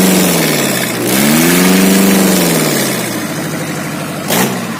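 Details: Engine run without all its components installed revs up and settles with an uneven clattering 'kemeletek' rattle over the running note. Abnormal noise from the incomplete assembly.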